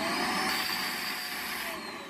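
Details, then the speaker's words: Shark or Hoover vacuum: steady, muffled, strained motor whine with a thin high tone the moment it is switched on; problem persists after cleaning the filters, suction blockage choking the motor. "the moment you turn it on you hear this kind of this strain right here"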